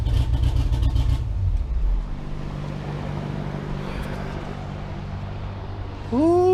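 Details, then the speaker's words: Engine of the "Ghost" car back running after repair, with a smooth, even low drone, no ticking or knocking, before shutdown; the fault was only a bad pushrod, and it no longer smokes as before. "so it looks like we've got the bird back guys she sounds good and it looks like all that was was a freaking push rod"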